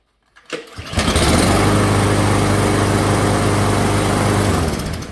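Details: Husqvarna LC121P push mower with a Briggs 725EXi engine, after fixing water in fuel, the wrong spark plug and a bad brake cable: the pull-start catches within a second, then a steady, even drone with no misses; starts and runs healthy.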